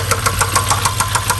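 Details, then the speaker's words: 2012 BMW X5 xDrive50i, N63 twin-turbo V8, at idle: sharp, regular deep knocks ride over the idle. Engine knock from the bottom end. "That is a motor knock."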